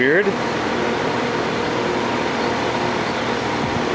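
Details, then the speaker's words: Brand-new 2015 Rheem 3.5-ton AC outdoor condenser just started; the fan motor with new-style controls started oddly: a smooth, steady fan rush with only a faint compressor hum. Quiet, normal running. "is quiet you do hear the compressor that's nice that fan started weird it's I guess uh this new fangle controls in that so it's running"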